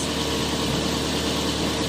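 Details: Mazda 3 that died on the road and cranked without starting, after taping wire that blew the fuse: smooth even idle, steady low rumble, no misses, ticks or knocks; repaired, running healthy.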